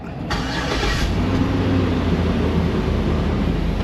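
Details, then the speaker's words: 2003 Chevy Tahoe V8 first start after rear main seal oil leak repair, oil topped up: quick crank catches cleanly, steady even idle with smooth low rumble, no knocks or ticks, good oil pressure; normal start and idle. "Loads of oil pressure. Let it run a few minutes, see if it's dripping."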